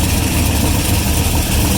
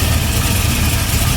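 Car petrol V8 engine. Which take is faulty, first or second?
first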